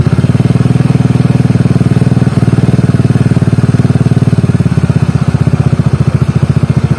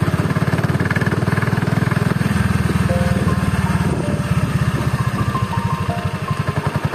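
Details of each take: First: Carbureted Honda Beat scooter after stripping the CVT, whose rollers had failed in under two months and gave a rough "helicopter" noise at low rpm: even, steady single-cylinder thrum, no flutter or rattle; the noise is gone. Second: Honda Beat carburetor scooter, CVT under two months of standard use: lumpy, uneven low-speed thrumming with a coarse pulsing rattle from the drive side at low rpm, rough CVT; CVT block disassembled for inspection.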